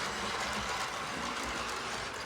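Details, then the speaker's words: 1955 Lionel 736 Berkshire O-gauge locomotive after tear-down and re-lube, on short track with smoking tender: soft even rolling hum with light steady wheel clicking; runs smoothly with no catches. "It looks really good. Just kind of sitting there idling, waiting for the steam to build up."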